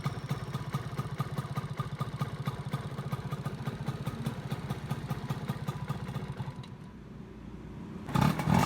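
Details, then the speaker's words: Yamaha F1ZR two-stroke after replacing the loose-riveted magneto rotor and stator coil that caused a ticking noise: even, quick idle pulses with no clatter or ticking, then a short throttle blip; smooth normal idle. "Ya ini setelah diganti magnet sama spoolnya udah halus ya, jadi dari kipas udah nggak ada bunyinya, ini cuman skepnya yang bunyi. Nah ini skep udah halus."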